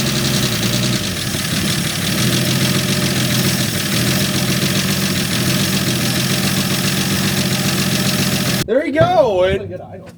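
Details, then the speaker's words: 1965 Dodge D100 slant six, first run after sitting 30 years, on choke with blow-by noted; steady idle with a light, quick puffing tick over the exhaust note; small exhaust leak, judged not that bad. "it runs and it sounds just like a slant 6 with a little bit of an exhaust leak like always it's not that bad in exhaust"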